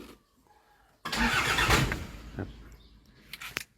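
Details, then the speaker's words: Toyota Mighty X pickup: after parking, key-on shows no dash lights; starter cranks about a second but engine won't catch, then winds down — injection pump shutoff solenoid gets no power because the system lacks full power. "สตาร์ทได้สตาร์ทได้แต่เครื่องเครื่องไม่ติดเนี่ยอย่างเงี้ยไม่"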